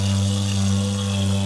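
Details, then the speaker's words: Toilet cistern fill valve: a loud, steady, buzzy low drone while filling, caused by a stretched, misshapen fill-valve washer, which is replaced with a new one. Fill valve hum from worn washer. "so what I've done is I'm screwed up there and tilt the washer out that sits down you can see there's quite stretched just not the right shape either so that's the issue"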